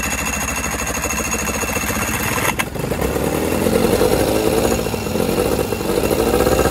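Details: Outboard on a water hookup after repair of overheating and no water flow: rusted thermostat replaced, water passage gaskets and head gasket replaced. Catches and settles into a steady two-stroke burble, with water splashing. Normal running.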